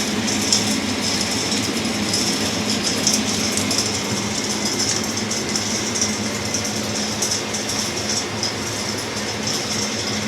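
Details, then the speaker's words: Axeman-Anderson 130 coal stoker heating a Mahoning 500 wood boiler, one week in, cycling to about 180°F: steady busy mechanical whir with fine rattling chatter over low hum, even throughout; no draft or heat problems, running normally. "no draft problems no heat problems no problems at all"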